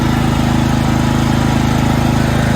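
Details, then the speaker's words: 1969 John Deere 112 Patio tractor small engine after starter repair, during PTO/deck setup: steady, even thumping at constant speed, no misses or knocks; runs much better than at first start-up, normal running. "I can definitely say it runs a lot better now than it did when we first started it up man that sounds good"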